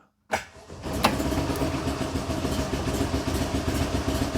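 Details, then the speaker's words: Invacar, small two-stroke, after a run, with headlights on and ignition on; owner unsure whether the battery or a poor connection is at fault: short crank, then it catches and settles into an uneven busy idle; starts and keeps running. "Yeah, there we go. So, uh it is actually working."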